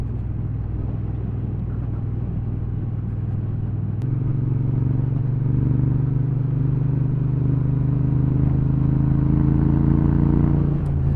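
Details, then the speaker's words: Triumph Bobber at about 900 miles, loud exhaust: deep steady rumble stepping up and holding firm as revs rise; loud but even, a healthy twin, not too offensive. "it's not too offensive the sound I mean when you open it up it's not it's fine it sounds like a bike sounds like a bike used to sound 30 years ago before everything had to be absolutely silent"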